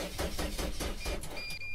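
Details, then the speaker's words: Mercedes Sprinter diesel van cranked with the cam sensor unplugged: even starter cranking about five compression beats a second that never catches; cranks but no start with the cam sensor disconnected. "so this is the cam sensor right here and without that your engine won't start now if I try and crank"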